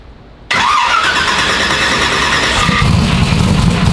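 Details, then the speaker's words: Turbo Nova, first start in about three to four years after oil clearances opened up and an accumulator added, exhaust finished: fires cleanly into a strong, even rumble that builds smoothly with throttle. Normal start and rev. "thing sounds good dude I think it's gonna run pretty good too don't get me wrong I love ls's but you'll never make one sound like that that sounds great"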